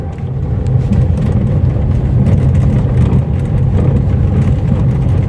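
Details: Mercedes-Benz GLA 200d diesel driven over rough patches: dull, irregular thumps come through the road noise from a worn strut top mount. The fault was solved by replacing the strut mounting.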